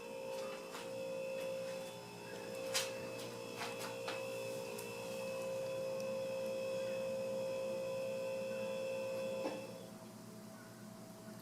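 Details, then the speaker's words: 1991 Hunter Original four-blade ceiling fan, previously run without oil, running on low speed: soft steady hum with a faint constant tone, only a very slight wobble and no knock or rub; normal low-speed running. "there's a very very slight wobble certainly a lot less than the other one it's actually not making any noise"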